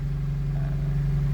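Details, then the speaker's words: 2003 Honda CR-V (2nd generation) that cranked but wouldn't start or started then died, just after replacing the fuel pump relay: steady, even low hum with no knocks or misses; fixed, normal idle. "so it's an uh it's an easy fix I thought it's gonna be a big problem but uh boom the car just started"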